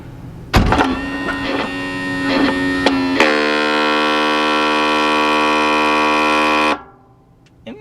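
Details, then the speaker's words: 2019 Tiffin Open Road 34PA RV Kwikee entry step motor: skipping clicks then steady high whir with no engagement, step doesn't move; stripped gear, motor itself working. "so now we gotta take the motor off here's what it sounds like when you have a strip gear"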